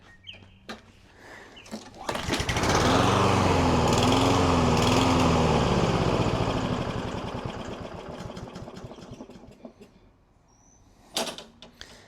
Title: Can STABIL Fix a Surging Lawn Mower?! Honest Test Results